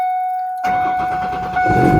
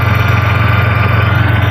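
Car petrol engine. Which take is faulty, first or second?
first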